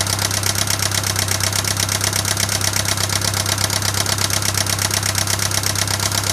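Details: 1996 Pontiac Sunfire 2.4L idling with a sharp, persistent tick over a low hum; head and valves restored and lifters replaced, yet the ticking remains and its cause is unknown.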